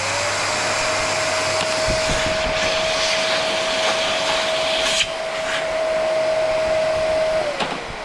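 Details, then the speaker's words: Old Bosch vacuum cleaner with a top cover that comes off too easily and sheared-off plastic brackets. Motor runs with a steady, even whine over a smooth rush of air and winds down cleanly at switch-off; suction works relatively well, normal running. "the vacuum cleaner actually works relatively well, but there is a different problem which I will show you right now."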